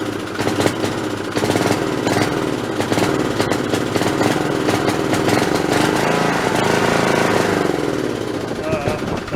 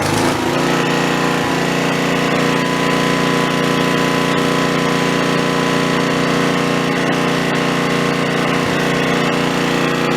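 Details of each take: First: Snapper 3081 riding mower that died suddenly mid-mow, fitted with a known-good plug from a snowblower: ragged chugging with stumbles and surges, misfiring and backfiring. Owner suspects a failing coil/magneto. Ignition fault. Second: Snapper 3081 mower that died mid-mow, restarted with original spark plug refitted, engine still hot: fast, even small-engine chatter at steady speed, no misses or knocks, somewhat smoky; running normally.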